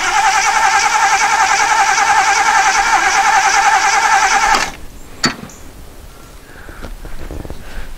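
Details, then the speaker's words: 1977 Jeep CJ-5 that sat for years (last inspection 2011), starter run by shorting the terminals to test whether the fuel pump delivers: a fast regular whirr for about 4.5 seconds and no firing; no fuel comes through, and the pump is doubted. "i'll just short it out up here and just run the starter see if we get any fuel helps if you put the hose in fuel nothing yet"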